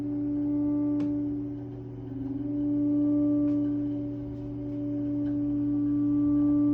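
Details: Triangle Tube Prestige boiler after a new valve was installed: a steady pure ringing tone slowly swelling and fading every few seconds over a low hum; some component resonating, cause suspected, not confirmed.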